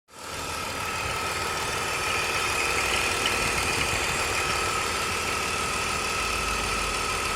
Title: E46 weird engine noise